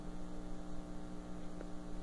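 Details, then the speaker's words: Twin-tub washer (tanquinho) that kept stopping mid-wash and leaking water, motor run with agitator (blue part below) disconnected; steady low electric hum, spins light and free with no rubbing. "o motor mesmo motor está bem levinho aqui ó"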